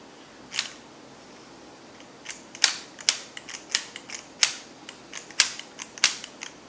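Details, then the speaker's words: Arrma Talion 6S RC truck with motor and transmission removed, drivetrain turned by hand: irregular sharp clicks. The owner suspects the front differential, possibly the center differential too, while the drive shafts sound normal. Clicking in drivetrain. "definitely doesn't sound good does it hear that I think that's my problem"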